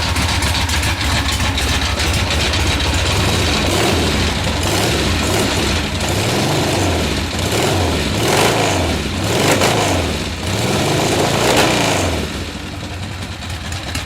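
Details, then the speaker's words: Cold Harley Ironhead V-twin, top end rebuilt, first start after sitting months on choke: rough lumpy idle with loud mechanical clatter swelling on small throttle blips; top-end racket, owner suspects worn cams, thrust plates or case bushings, unconfirmed. "Yeah, the racket, that's what we need to deal with. I'm pretty sure, like I said before, it's either the cams, the thrust plates, or the bushings in the case, or maybe all the above."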